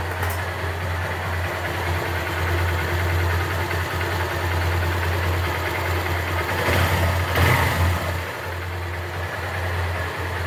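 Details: Honda Titan 150 after replacing a worn gearbox bearing that caused a loud humming, rubbing engine noise: even, steady single-cylinder idle with a brief throttle blip, no knocks or grinding; engine sounds healthy.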